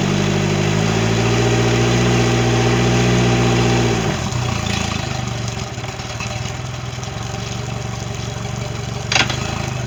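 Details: Mercury 90 hp outboard on a Suntracker after a no-start issue, final running check: strong even note for four seconds, then smooth steady idle with no misses or knocks; normal idle.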